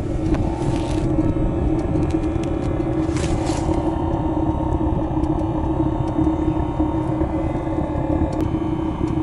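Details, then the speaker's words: Even burner roar over a constant low hum, no surging or popping, fuel pump ticking slowly: the ZAZ 968 Zaporozhets autonomous parking heater running steadily on first revival, blowing hot air with a burnt smell into the cabin. "оба что этот такой звук как будто реактивный двигатель сюда себе она разгоняется насос качает потихонечку правда"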